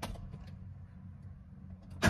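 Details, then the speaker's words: Mercedes-Benz Vario diesel starting on a new Winston lithium 40Ah 24V starter battery (10C, 400A): quick starter spin, then the diesel fires at once; brisk cranking, 28 to 28.3 V after start, healthy start. "And only with 40Ah, because they can do 10C and 400A so no problem. you can also hear it from the starter speed."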